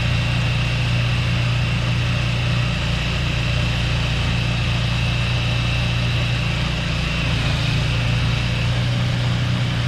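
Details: Craftsman 2-stage snowblower engine after adding fresh gas, unstarted 2 years before: steady even drone under load clearing snow, no surging or stumbling; runs great.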